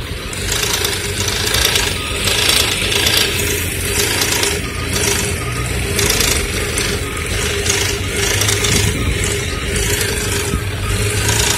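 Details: Running engine with low oil level: busy metallic rattle over the hum, enhanced between 1000 and 2000 rpm.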